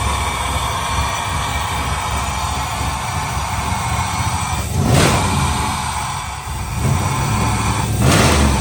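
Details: '72 Impala convertible with swapped LS3 V8 after fixing injector connectors and clearing misfire codes for injectors 1, 4 and 8: steady, even low rumble and two brief revs, partly masked by music; normal running.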